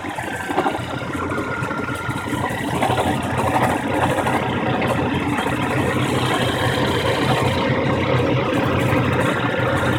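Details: 1997 Chevrolet S-10 petrol engine at idle with a busy metallic rattle over the steady running sound.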